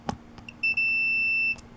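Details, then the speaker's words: Riding lawn mower tractor starter solenoid bench test with multimeter on the two large terminals: short click, then steady high continuity beep about a second as contacts connect; solenoid contacts closed. "and then just when you hear that beep these two just connected together that's it"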